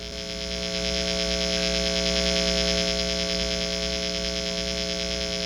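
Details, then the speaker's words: 1966 Harmony H14 Bobkat guitar with no ground wire, Shure SM57 right at the test amp speaker: loud steady mains hum with buzzy hiss from the ungrounded single-coil pickup and hardware. "What I've done is I've put this Shure SM57 right up next to the speaker of my test amplifier on the desk there. As you can hear, there's quite a bit of noise."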